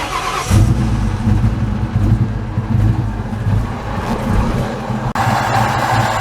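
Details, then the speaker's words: 2003 Ford Mustang GT just after 4-valve engine swap, new mufflers: fires up and revs with a lumpy, uneven beat; runs rough, owner suspects a connector or wiring issue, not confirmed. "cars running a bit rough um we still have i think a connector issue or wiring issue"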